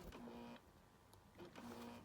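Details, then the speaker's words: Sony Vaio PCG-8Z2M laptop booting Windows, fan audible: two short buzzing growls, each about half a second, rise and drop as the CD drive spins; an awful grinding racket of unknown cause. "Yeah, as you can see, can hear the fan, but every time you put the CD player in, it makes that awful."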